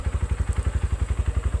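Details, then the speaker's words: Used Yamaha motorcycle engine at idle after starting: even, smooth thumping about nine beats a second with no rattling or ticking, no smoke; healthy normal idle. "Nah contoh ini adalah motor Yamaha masih bagus ya suaranya masih halus tidak ada bunyi gemericik di mesin"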